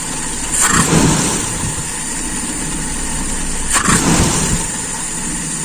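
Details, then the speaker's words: Small engine carburetor, idle jet reduced and idle air mixture screw backed out five turns: two sharp throttle blips, idle sagging after each before recovering. Mixture possibly too rich or too lean; screw then closed one turn. "ngedrop sepertinya terlalu banyak kita membuka artinya kebanyakan bensin suwaktu terjadi kevakuman yang tinggi atau juga bisa sebaliknya terlalu dikit"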